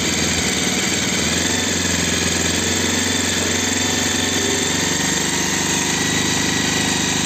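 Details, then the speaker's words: Bajaj Pulsar 220F after carburettor setting to fix missing and low-rpm jerking: smooth, even idle with steady beat, no stumbling or surging; stable idle, problem solved. "कम ज्यादा नहीं हो रही है लो और हाय race नहीं हो रही है प्रॉपर हो चुकी है वह भी प्रॉब्लम सॉल्व हो गई है प्रॉपर सेटिंग हो चुकी है"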